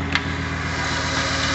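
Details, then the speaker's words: Freshly rebuilt 2007 Ford 5.4L 3V V8 with new lash adjusters and roller followers, warming up after first start, about 60 psi oil pressure at idle; even steady idle, smooth low hum, no ticks or knocks; healthy. "i can tell you that sounds good sounds real good sounds like it did when i first bought it i like it"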